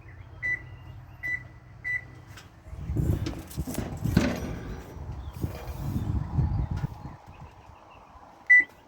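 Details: Whirlpool electric stove with a bake start button that doesn't work, back panel off and control board checked: crisp single chirps with each key press, three close together then one more, so the other keys register normally; start key isn't pressing the board enough.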